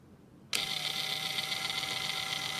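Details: Traxxas TRX-4 RC crawler with the front driveshaft disconnected. High, gritty whir with fast fine ticking that seems louder under load. The cause is a dried-out transmission lacking grease, with no damaged gears; fixed by greasing.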